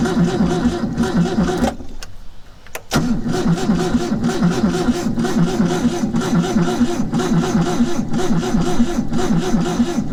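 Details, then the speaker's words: Old carbureted vehicle picked up in Tennessee cranking at about two beats per second with a brief pause, never firing; owners say it's flooded and the battery is weakening, later suspecting a gunked float bowl. Cause unconfirmed. "Yeah, it's flooded. Yeah, we're losing our battery now. Losing our battery."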